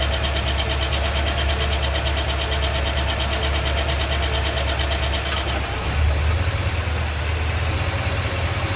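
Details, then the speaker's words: 2020 Ford F250 Super Duty 7.3L with Gen 1 10-speed transmission, idling with brake on: quiet in park, low drone turns rough and grindy once shifted into drive; transmission pump chain grinding, transmission needs replacement. "now you notice here i got it in park there's no noise right there's no noise but as soon as i go and i put it in as soon as i go and i put it in park or put it in drive put my foot on the brake check it out"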